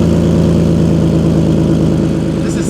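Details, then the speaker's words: Car with an aftermarket top-mount turbo kit at idle: fast, sharp puffing tick on each firing pulse from an exhaust leak at the downpipe joint, with air visibly pushing out. It persists after an hour of fix attempts. "we have to fix this exhaust so cuz there's a leak it's like pretty obvious right"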